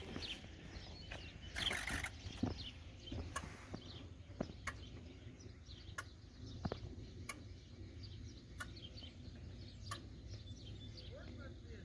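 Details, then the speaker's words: Ford 6.0 Powerstroke after new FICM, injector buzz test: sharp buzzes in sequence 1–6 then 8, skipping cylinder 7; code for cylinder 7 injector high circuit, fault persisted after swapping harness plug, so injector 7 is bad. "Right there, it skipped over 7. So if you guys listen, 1, 2, 3, 4, 5, 6, 8. It skips over 7. So we still have an issue with cylinder 7."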